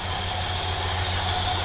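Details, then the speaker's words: 1965 Chevrolet Caprice with a 396 V8, restored, odometer about 98,000 miles believed actual, idling: low steady burble with a constant beat and no ticks or knocks; a quiet, even, healthy idle. "v8 as I mentioned power brakes power steering factory AC and as you can hear it idles extremely nice nice and quiet"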